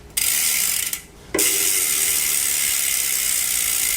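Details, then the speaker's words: Trek Top Fuel mountain bike with a single-cog drivetrain, after chain work and rear wheel reinstall: fast, even buzzing ratchet clicks from the freewheeling rear hub's many small bearings, sounding healthy. Normal freehub ratchet clicking. "It's a good looking mountain bike. Sounds good, too, with the the bearings when it goes through."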